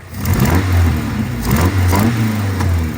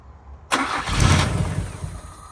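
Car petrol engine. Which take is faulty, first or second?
first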